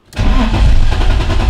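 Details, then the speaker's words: BMW E30 M3 Touring with ignition switch problem: starter cranks, engine catches briefly with rough rumble then dies, fuel pump audibly humming; no life, starting spray tried next; finding: cranks but won't start. "Also wie ihr hört, absolut kein Leben in der Bude."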